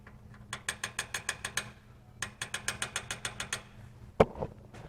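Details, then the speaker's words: 1964 VW Beetle during a tune-up, engine off: sharp metallic clicks in quick bursts as the intake-two rocker is rocked by hand, pushrod chatter from far too much valve lash; pushrod not bent. "it's so big I don't know if I'll pick up on my mic but you can actually hear the push rod chatter"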